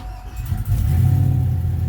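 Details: GMC Yukon/Denali V8, towed in no crank no start with badly damaged, unsupported wiring harness after an engine swap; after wiring repair, key turned and it catches promptly into a smooth even idle, gauges working, starting back to normal.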